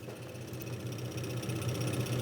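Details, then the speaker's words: 1975 Dodge D100 with a 417 stroker, engine off and spark plugs out. The electric fuel pump fills the carburetor to check that no fuel gets past it and hydrolocks the engine. Soft, steady buzz with quick, even pulsing, clean and consistent; the pump is working normally. "I'm running the electric pump just to fill the carburetor up."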